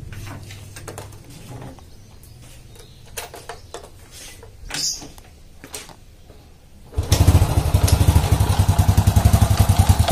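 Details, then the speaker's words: Old Honda Supra motorcycle, complaint of clattering from the clutch housing on slight throttle: engine fires then a loose clattery knock on each blip, like a loose bolt; caused by clutch outer loose on its rivets. "untuk motor ini keluhannya yaitu ada dibagian mesin kabarnya Hai di bagian mesin kalau di grab sedikit ada suara klotak klotak di bagian bak koplingnya"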